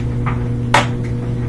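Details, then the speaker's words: Samsung washer with a DE door error, after reseating the door lock spring: one crisp click over a steady low hum as the lock engages, then it starts right away. The error is cleared; the lock was probably just dirty. "heard that click so that did the trick we got rid of the door error and starts up right away"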